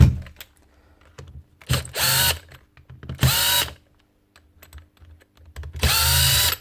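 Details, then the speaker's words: 2017 Hitachi DV18DBXL brushless cordless drill: three short motor bursts whose pitch swoops up and down, speed all over the place; owner hopes the fault is just the trigger switch. "Speeds all over the place. Hopefully it's just a switch."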